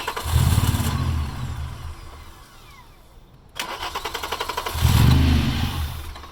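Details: VR6 engine swap, started with clutch switch bypassed, after a vacuum line was plugged in: two bursts of fast cranking, each catching briefly into rough rumble then dying; won't stay running. Owner suspects fuel starvation from car angle and low fuel.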